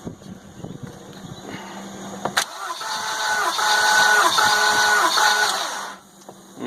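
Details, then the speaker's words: Compression test on the 550 engine, plugs out, checked after a noise following first start. Starter cranks slowly in an even, quick rhythm, about three pulses a second. Cylinder reads 150 psi, adequate. Normal cranking compression. "I'm gonna call it 150 we've got 150 crankin as slow as that's cranking versus running more than adequate"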